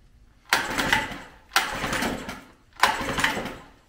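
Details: 1994 Mercury 5hp longshaft single-cylinder two-stroke outboard, ran 5-7 years ago, on full choke with throttle mid-position: fires in three roughly one-second sputtering bursts, dying between, with smoke; rough rich running on full choke, cause suspected.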